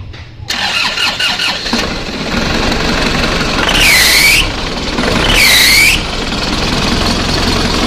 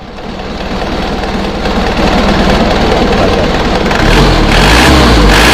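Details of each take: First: Isuzu Panther diesel starting and idling with two short high squeals; the squeal comes from a very loose alternator (dynamo charge) belt. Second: Isuzu Panther diesel revving after tightening the alternator mounting bolts to cure squeal on throttle: revs climb steadily with a clean rising roar, no squeal or chirp; belts sound fine.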